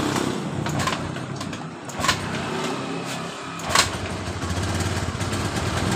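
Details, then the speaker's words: 2015 Honda Beat Pop scooter that stalled while riding and lacked power, after the rotak part was replaced and pressure read 42 PSI; quick, fairly even single-cylinder putter with a couple of handling knocks, normal idle. "jadi motor langsung hidup seperti ini setelah kita mengganti di bagian rotaknya"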